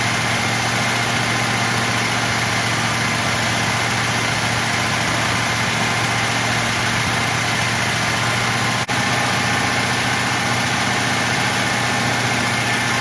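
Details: V8 running after Quadrajet carburetor rebuild, restarted with fuel poured in the carb and battery charging; fast steady hum that never settles to a slow idle, idling far too high.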